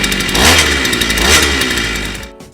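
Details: Power Plus brush cutter, a high-buzzing two-stroke, after a cold start (primer pumped, choke off) revs up and eases back twice, then cuts off, running clean and steady; normal running after a cold start.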